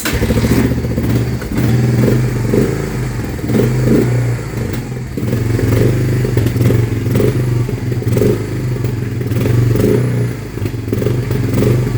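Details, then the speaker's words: 1993 Honda Fourtrax 300 ATV single, freshly revived with new battery, idling very low and unevenly with a heavy low knock and clatter each beat; stalled after ten minutes earlier; owner suspects rod knock, possibly too-low idle, unconfirmed. "And I heard a lot of rod knocking and stuff and we don't like that."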